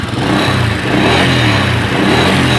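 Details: 1997 Honda Astrea Grand, just started: the single-cylinder settles into a quick, even putter with a slight rev then steady normal idle; the fault is that it won't shut off with the key, suspected CDI or ignition switch.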